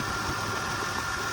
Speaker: So yep, she's still here, purring like a kitten.